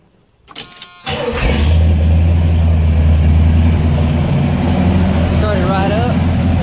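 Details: 1978 Pontiac Trans Am 400 V8 (X7 block, 6X heads), after setting timing to 18 degrees at 700 rpm, air cleaner and distributor vacuum reconnected: cranks briefly, catches at once, settles to steady even low rumble; normal start and idle.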